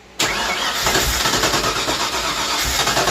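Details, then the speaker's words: Crank no start on a carbureted V8 project car: the starter churns steadily for several seconds but the engine never fires. The carburetor had been emptied and later began pouring fuel, flooding the engine. "Despite my best efforts, I had some leaks over here. Hopefully, those are fixed now. It just will not start."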